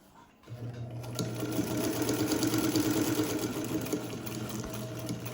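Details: Vintage Modern Home all-metal Japanese sewing machine with a newly installed belt, before oiling: even, steady stitching rhythm around three beats a second over a smooth motor hum, no knocks or slipping; normal running.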